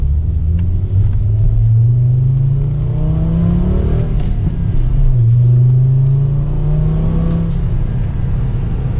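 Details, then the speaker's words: MK5 Jetta with a manual gearbox, worn shifter bushings and no fifth gear, driven after a shift linkage adjustment. The engine note climbs smoothly, drops at each shift and pulls again with no knock or rattle; it sounds good. "car sounds good though that was cool"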